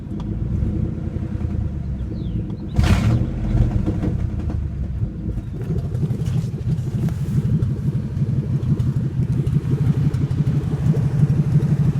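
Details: 1997 Ford F150 4.6L Romeo V8: a low, uneven, lumpy idle rumble. It has always sputtered at stop signs without stalling; one morning it wouldn't start, reaching only about 300rpm. Cause unknown; owner hopes it's not the cats.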